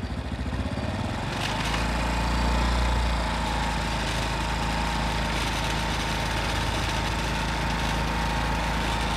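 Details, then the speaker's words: Small motorcycle whose revs didn't drop on closing throttle, from an air leak at the intake manifold via a loose bolt leaning the mixture: after tightening the bolt, engine idles steadily with even low putter after brief clatter. "vậy thì mình chỉ siết ốc vào thì anh em thấy nó đã khác ngay đúng không ạ? Anh em nghe thấy tiếng nổ khác chưa?"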